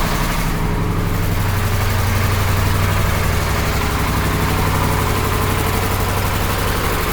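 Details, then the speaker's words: KamAZ truck diesel idling after the air dryer's thin supply hose was replaced with a copper tube; even low rumble, one short air hiss early, no sneezing or repeated purging; dryer works normally. "проверим будет чихать или нет человек умирал твой работает нормально ну сейчас где-то 2"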